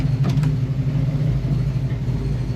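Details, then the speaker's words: Abandoned small-block Chevy V8 in a Nova, first run after revival: smooth, even, low burble at steady idle, no knocks, ticks or misses. Holding 160 degrees despite a poor fan shroud. Normal idle. "I worry about it getting hot because it doesn't have a good shroud on it or anything but it's still sitting at 160 degrees just sitting here idling guys"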